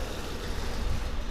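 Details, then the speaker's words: Volvo S40 at idle: misfiring, sneezing, coughing and farting all at once, a lumpy stumbling idle; MAF sensor codes (signal too low) and lambda codes present; misfire from an intake vacuum leak. "о о чихает кашли пукает и всё это одновременно Вот видите слышите ему Плохо ему больно и надо С этим что-то делать"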